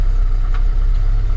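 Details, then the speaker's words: 1981 Volvo 244, M46 gearbox with overdrive, after clutch change: steady low idle rumble with no whirring or rotational noise; new clutch release bearing runs quiet, old one had been much noisier than realised. "gator on yet, and yet there's no noise at all, like rotational noise. I didn't realise how bad the release bearing was and how much noise actually came in."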